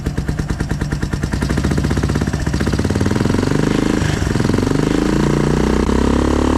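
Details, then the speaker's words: Kawasaki KLF 300 single-cylinder ATV after engine rebuild and neutral gear holder fix: revs up then settles into a quick, even beat with a faint loose rattle from the rear; engine sounds healthy, normal running. "Sounds good. Sounds real good."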